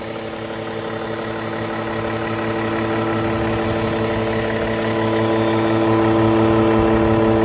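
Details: Cummins ISX15 diesel with an upgraded oil pump, idling: a steady droning buzz that slowly grows louder, suspected to come from the oil pump but not confirmed.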